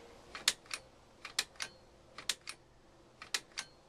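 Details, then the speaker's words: 1978–88 GM G-body headlight dimmer switch on the lower steering column, pushed by hand: crisp repeated clicks, the normal sound of a working, correctly adjusted switch that the turn-signal lever rod should actuate. "now you can manually push on this switch and you can hear it clicking now that is exactly what the rod does it pushes this button down clicks it on and off"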